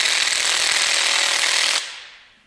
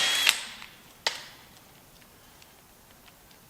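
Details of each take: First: 14.4 V cordless impact wrench removing parts during a Kubota engine swap on a Bandit 2900T stump grinder: fast, light hammering rattle for under two seconds before quitting. The battery indicator showed yellow, a low battery; it was swapped. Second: Cordless 14.4 V impact wrench with a fresh battery, driving bolts during a Kubota engine swap on a Bandit 2900T stump grinder: short, sharp rattling hammer bursts; normal impact wrench operation.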